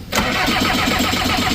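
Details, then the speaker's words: Skid loader diesel in 22-degree cold, owner assumed water in fuel line: steady cranking with no fire-up; lots of air in the lines, not much fuel reaching the top of the injector, bled off until fuel arrived. "This one's not getting a lot of fuel to the top side of the injector."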